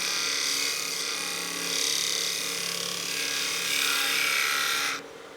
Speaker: I don't know if you can hear that sound but that's too much bevel contact so I need to go a little lighter on the bevel pressure and let the tool do the cut